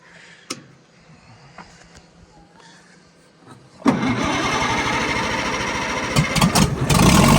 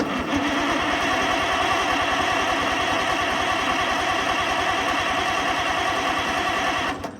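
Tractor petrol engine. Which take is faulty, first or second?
second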